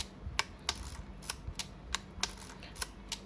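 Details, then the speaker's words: Yashica Electro 35 GSN film camera after repair of a stiffened shutter and film-advance lever, test roll: crisp, irregular clicks from winding and firing, no grinding or catching. The soft release must be pressed fully down. Normal film advance and shutter operation. "จังหวะกดเนื่องจากมันเป็นลิปสเตอร์เนอะมันก็จะนิ่มหน่อยนะครับ"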